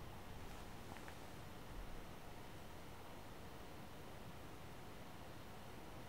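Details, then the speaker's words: One Mix 2S Yoga 7-inch mini laptop under Prime95 full CPU load, fan starting to ramp up; steady airy hiss from small fast fan, no rattle, buzz or whine; normal fan noise under load. "and then I'll shut up so you can hear the fan which will get louder right away and then even louder later"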